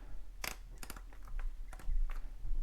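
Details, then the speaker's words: Hart HPDD02 brushed cordless drill, keyless chuck tightened by hand onto a bit: a few light, sharp ratchet clicks that stop once the chuck is tight, normal chuck action. "so then we just tighten it down and it kind of like I don't know if you could hear it we'll loosen it real quick it kind of starts to give some clicks when it's starting to tighten"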